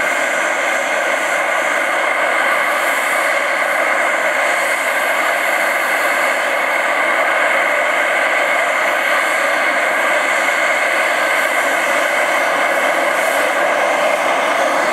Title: Hałasujący gaz Arka Medical SPA Kołobrzeg lipiec 2024